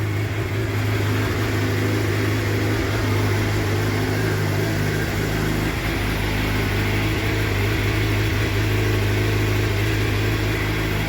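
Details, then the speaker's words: Crash-repaired Suzuki GSXR750 K7 track bike with a new exhaust silencer, first start after sitting a long time, FI light on: a steady, even idle burble with no knocks or hunting; normal idle. "oh yeah on the button perring like a kitten that's not bad considering she sat up for so long"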